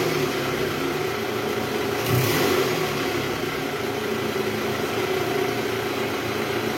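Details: 2012 Toyota Alphard ANH20 2AZ engine after replacing shattered balancer shaft, in reverse with throttle: engine rises smoothly on a blip and returns to steady idle, no rattle or roughness; normal revving.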